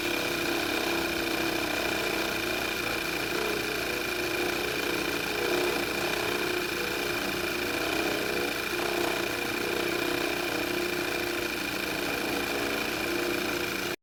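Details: VW MK6 engine shortly after morning start: constant high-pitched whine and rough buzzing over the running engine, steady throughout; failing alternator, noise gone after replacement.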